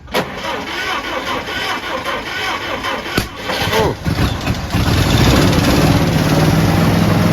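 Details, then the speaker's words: 1950s Jeep (Little Joe) that had sat 38 years, first start on jack stands after getting fuel flowing; rough sputtering turns, then it catches into an even steady idle with no heavy smoke; normal start and idle. "oh yeah look at that hands off she's running before you take I'll wait around on the highway yeah right right on that sounds really good"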